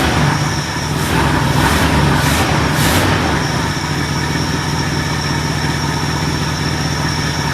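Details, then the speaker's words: Ford LTD on a freshly fitted $80 eBay 2150 Ford carburetor, screws unadjusted, after the old carb poured gas; catches with a few revs then settles into a steady, even idle with no stumbling. Normal idle. "purrs like a kitten not bad for not even touching the screws on the carburetor"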